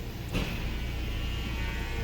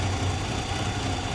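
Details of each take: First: 2014 Nissan Altima, believed 2.5 L, after the stuck exhaust cam was commanded via scan tool above 2,000 rpm and moved: a brief clunk, then a low, even idle hum with no stumble. Smooth normal idle; steam suggests a possible coolant leak. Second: 2014 Nissan Altima, believed 2.5 L, with P0014/P0300, rough idle and occasional start-and-stall: uneven, lumpy idle with an unsteady low throb instead of a smooth hum. Scan data shows the exhaust cam stuck out of time.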